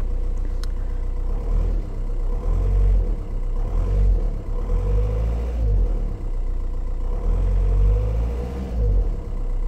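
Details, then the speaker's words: VW Touran with 1.9 diesel (105 hp) at 188,000 km. It holds a steady idle just after starting, with a low, even diesel rumble and normal clatter but no knocking or misses; the engine sounds very good. "Deci în orice caz motorul eu zic că sună foarte bine."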